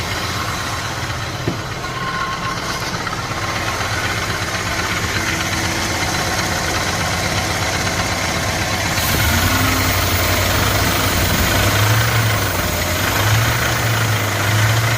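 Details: Dodge 5.2 Magnum V8 at idle: steady light knock, about four beats a second; owner unsure whether lifters or rod knock.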